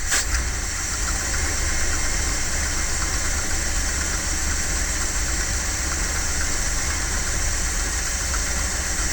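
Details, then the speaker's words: 1978 Dodge Tran V8 at idle: steady idle under constant exhaust hiss with faint irregular ticking, uneven; owner hears exhaust noise and suspects a rattling pin, plans carburetor change and timing check, and notes a fuel leak, possibly a bad fuel filter. "now i can hear some exhaust noise and i think that pins rattling that's why i think i need to change the carburetor and probably put a timing light on it"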